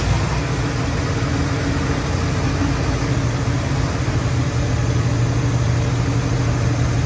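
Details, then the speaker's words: Old crew cab Buick wagon on fresh gas, after power brake system swapped for a vacuum booster: low, steady rumble with an even beat and no knocks or misses, a smooth, healthy idle. "Hot rods. Everybody loves that sound, don't we?"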